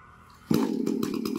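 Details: Chainsaw after cylinder bore and piston kit replacement (previously would not start however many pulls), chain fitted and tensioned, test start outdoors: sharp pull start, then fast buzzing two-stroke settling into steady idle with light regular patter; sounds healthy.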